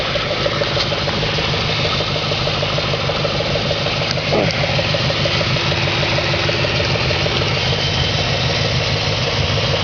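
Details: 2004 Audi S4 4.2L V8 at idle: fairly regular ticking knock, roughly three per second, over a steady idle; engine knock at idle, source not yet pinned down.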